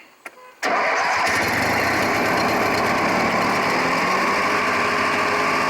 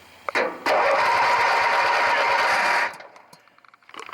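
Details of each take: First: Craftsman 18 hp opposed-twin riding mower after starter solenoid replacement, started with choke pulled: brief crank, catches cleanly, settles into steady even run; healthy start. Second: Craftsman 18 hp opposed-twin riding mower that wouldn't crank on the key, new battery: solenoid struck while key held, starter whirs steadily about two seconds then stops. Took a few hits; starter solenoid judged sticking and the culprit.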